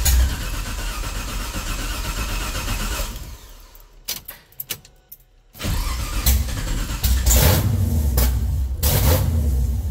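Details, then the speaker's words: 1969 Camaro LS3 swap, Holley ECU, open headers: fires up and rumbles loud, dips briefly, then revs back with an even beat, needing some throttle to idle; all eight cylinders firing. "all right i think we're firing on all weight i had to use the gas a little bit right there to get it to to idle but uh that definitely sounded like it was running on all eight"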